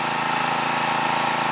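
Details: New stock Harbor Freight Predator 212cc OHV engine (Honda clone), 87 octane fuel, 10W-30 oil, choke set halfway, mid-range throttle, about 40-45 degrees at 1200 ft altitude: even, steady drone with no pops or sputters; smooth running.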